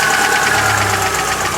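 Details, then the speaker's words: Chery Amulet at idle with light quick ticking over steady idle, top-end tap; suspected hydraulic valve lifter (lash adjuster), to be replaced; lifters later reportedly fixed by bleeding new ones; ticking at idle. "У нас Cherry амулет, и у него есть стук в двигателе. Давайте послушаем его. Я думаю, это гидрокомпенсатор."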